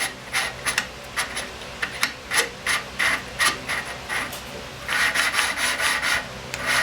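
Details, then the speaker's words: Snow blower engine with low power and an intake valve suspected of not seating: gritty back-and-forth rasping strokes, about two a second, with the engine not running, as lapping compound beds the intake valve into its seat, growing less grindy. "You can hear it changing sound, getting less grindy, a little bit more."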